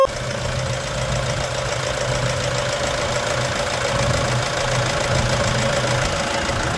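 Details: 2011 Toyota Hilux 2.5 diesel after intake manifold decarbonization, tank cleaning, new filters and fresh coolant: even diesel clatter at steady idle with a faint shake, no misses or hunting; normal idle.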